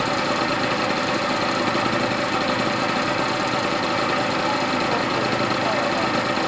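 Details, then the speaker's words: Pulse Force 50cc GY6 scooter after new fuel line, petrol heavily mixed with two-stroke oil after sitting a while: bright busy two-stroke buzz, steady and even, no knocks or rattles — healthy normal running. "all right guys that sounds amazing i've got a lot of two-stroke oil in there the petrol is literally red"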